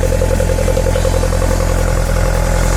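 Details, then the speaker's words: 1978 Lotus Sprint Eclat (built Nov 1977), cold engine: deep, steady idle with a fast even pulse, no ticking, knocking or stumbling, before being revved; sounds good, idling smoothly. "We'll go back here, rev it up. Sounds good. It's cold."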